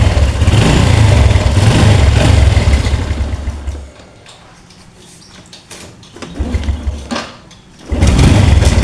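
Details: Small single-cylinder Honda Revo-type motorcycle engine (KWB code) after fitting a new cam chain and roller; steady even beat that dips and picks up again, no cam chain rattle; running healthy after repair.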